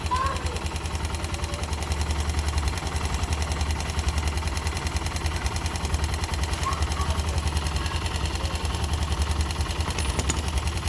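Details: Yamaha YB single-cylinder motorcycle at idle: light, fairly regular ticking knock over a low steady thrum; abnormal engine noise of unclear origin.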